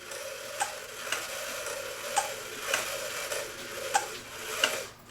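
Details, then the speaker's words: KUNEC Farmer and Wife dancing cuckoo clock, case aged and moisture-damaged, movement getting ready to cuckoo: sharp uneven ticks about twice a second with scraping rattly edges; rear bellows broken; movement is dry and needs oiling. "Kind of cuckooing. You can definitely hear it's dry."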